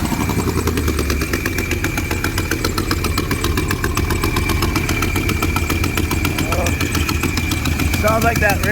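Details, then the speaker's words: Car idling with a fast, uneven puffing tick and faint whistle; owner suspects an exhaust leak, possibly a previously replaced gasket blown again, not confirmed. "uh so i got into some exhaust leaks as you can hear um"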